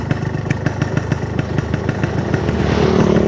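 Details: Yamaha RX King two-stroke brought in for lacking power on hills and at top revs, tested after top-end engine work with a replaced exhaust. Crisp popping at a quick, steady beat that picks up with throttle, with no rattles or misses; running healthy.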